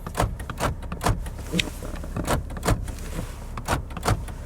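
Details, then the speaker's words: Lexus ES350 on a used-car inspection: door locks cycled several times to expose any weak motor give crisp, full clunks in quick groups, about ten in under five seconds. All lock actuators work normally. "They all work. This is something very important that you do. Don't operate the door locks once. Operate them 2-3 times."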